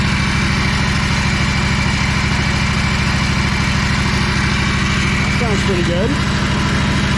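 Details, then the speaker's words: Ferris 52-inch commercial hydro walk-behind mower, twin-cylinder engine, after carb cleaning and replacing the bowl O-ring: the twin holds an even, steady beat with no stumbling or surging, a clear improvement; smooth running. "oh that's a lot [Music] better"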